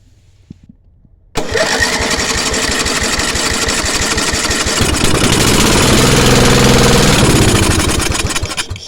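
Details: Briggs & Stratton 10 hp petrol engine with a brand-new spark plug and coil, started with the choke on: it catches after brief cranking, runs rough and loud for about seven seconds, then fades and stalls; a carburetor problem is suspected, not confirmed.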